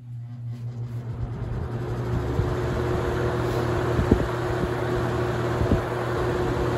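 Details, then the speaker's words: Holmes HABF-20 box fan (Feb 1997), seller's note said "hums". Switched up to high: a steady whir, soft hum and even airflow rush with no rubbing or ticking. The motor runs smoothly. "So I guess we'll jump it up to high and do one more spin down."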